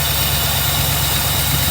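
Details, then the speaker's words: 1982 Mercedes 380SL V8 idling high again after accelerating opens the idle air control valve, with the bad idle speed control module disconnected and the valve driven by a nine-volt battery; steady fast idle. "idling high again touches with nine volts"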